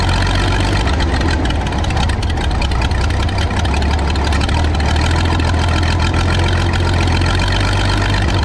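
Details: Michigan 35A wheel loader's old flathead, revived after sitting in weeds (broken spark plugs removed, compression restored, a cleaned connection made it run better): steady even low rumble, no misses or knocks, settles into and holds smooth idle.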